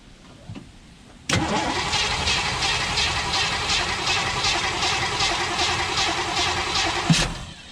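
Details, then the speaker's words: 1958 Chevy Biscayne after years of neglect: steady starter churn about six seconds with no catch, then a cough on key release; no spark while cranking. "and see as soon as you let off it wants to kick over"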